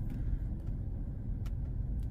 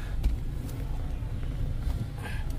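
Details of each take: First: Mazda CX-5 2.0 petrol at idle with check engine light (P0302, P2302), shaking and stumbling from a cylinder 2 misfire; non-original coil fitted, coil and spark plug previously tested; heavy uneven low rumble. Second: Mazda CX-5 2.0 petrol, previously with cylinder 2 misfire (P0302) and ignition coil A secondary circuit code (P2302), idling after coil swap/repair, check engine light off; low, even idle hum, no stumbles; running smoothly.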